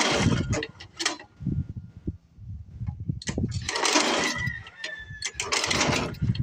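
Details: Old Craftsman 24 snowblower with a Tecumseh engine that sat for years, cold-started at 28°F. It fires in ragged bursts and sputters but won't keep running; flooding or a faulty carburetor is suspected, not confirmed.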